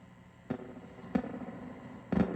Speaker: That is coming from your recovery tube. These are your original tubes. This one is bad. Small popping sound.